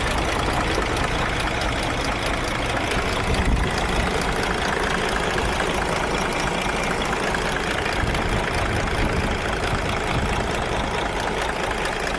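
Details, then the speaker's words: 2017 DAF XF MX-13 diesel truck, idling then revved: heavy idle with loose, uneven top-end tapping; pieces of the exhaust brake rocker have broken off inside the engine; valve train tapping. "Give it a rev. Well, these are the bits that have broken off in the engine."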